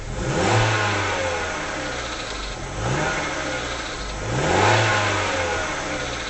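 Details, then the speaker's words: Rover 75 warming up, about 54 degrees, idling around 1000 rpm with a bodged idle control valve, recorded inside the car: revs rise and fall with a light metallic rattle only as the throttle closes, not at steady speed; rattle on overrun, cause unconfirmed. "I don't know how good this microphone is, but even in the car you can hear it sounds like little ends begin to rattle as you ease off."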